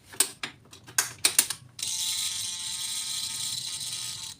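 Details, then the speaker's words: Yamaha NMAX non-starting, no pump hum at key-on: spare fuel pump connected outside tank, clicks then even high whirring hum about two and a half seconds; healthy priming, so in-tank pump suspected faulty. "sekarang kunci saya on kita dengarkan di sini ya teman-teman kunci saya onkan hidup ya teman-teman P pumnya ini hidup"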